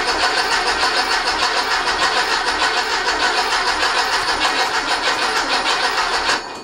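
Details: Rob's rebuilt 1835cc air-cooled VW engine in a bus, vintage speed muffler, first start since rebuild: steady starter cranking about three compressions a second, never catching; fuel and good oil pressure confirmed but no spark.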